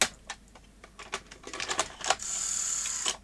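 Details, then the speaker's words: Sony SL-HF600 NTSC SuperBeta VCR after refitting the leaf switches: irregular light clicks and clacks, then about a second of high motor whirr as the mechanism cycles with no tape inside. It wrongly detects a tape, cause not yet confirmed; switches to be metered. "you see it's still doing stupid things still seeing a tape in there when there isn't one"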